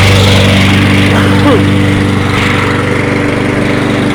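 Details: Toro 22-inch Recycler mower after reassembly, burning off excess oil: single-cylinder putters at a steady, even beat of about three firings a second, no stumbles or surging; normal idle.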